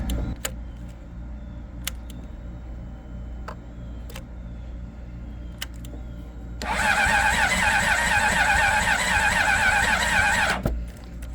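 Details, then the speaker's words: 2005 Honda CBR600RR with about 38,000 miles, being restored, cranked on its fitted battery before a booster was added: slow, even cranking under three turns a second for several seconds with no firing; weak starter, battery suspected poor. "H I don't think that battery is too good."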